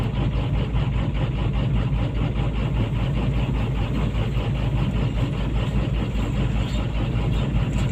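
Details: PC200-8 with a crank/no-start complaint blamed on a defective common-rail pressure sensor (no rail pressure); here a heavy diesel idle with a steady, even low clatter at constant speed, no misses or hunting.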